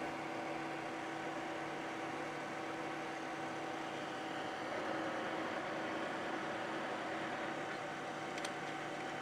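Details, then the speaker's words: Milling machine, power feed now working after the feed pump was primed; feed engaged then slipping out to free-spin idle; steady even hum, constant low drone, no knocks or surges — normal feed drive. "It actually was just engaged. It slips out there, so you can, yeah, it's just free spinning."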